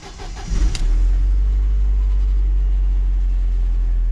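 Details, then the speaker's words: Newly bought used Mercedes W202 started with its key, the automatic function not working; quick crank, catches at once and settles into a smooth steady idle with no misses or knocks; normal start and idle. "let's see if it starts oops well the the automatic thingy doesn't work on it but"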